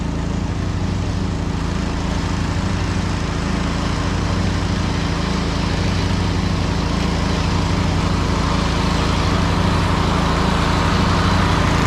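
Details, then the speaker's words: Snapper Yard Cruiser zero-turn mower with 42-inch cut, revived after a mouse nest, mowing long grass: strong, even engine drone holding steady speed, no misses or surging, no smoke, didn't get too hot; normal engine under mowing load. "I think this one should be good to go. Doesn't seem to smoke or anything. Seemed like a pretty good runner."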